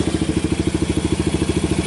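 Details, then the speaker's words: 1990 Kawasaki Bayou 220 junkyard ATV, cold start after carburettor replacement and recoil starter rebuild, compression good: small single thumps at a steady, even idle with no misses or rattle, slight smoke, charging the battery; normal idle. "now it's kind of a matter of actually sounds good"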